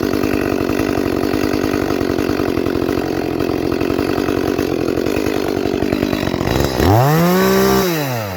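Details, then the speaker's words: Echo CS-310 chainsaw cutting after high-speed jet leaned further: crisp even scream through cut, no four-stroking on exit, then revs free; slightly lean, so richened a little, about a quarter turn leaner than start overall. "Alright, it's not 4-stroking out of the cut, so I'm going to go ahead and richen it up just a little bit."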